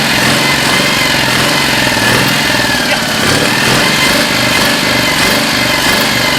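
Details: 2CV-engined handmade three-wheeler barn find, stored 25 years, just revived: fast, even putter from the small twin ticking over steadily with a light rasp on top; normal idle.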